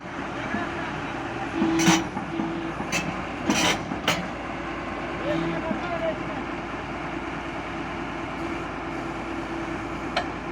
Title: excavator travel Abnormal sound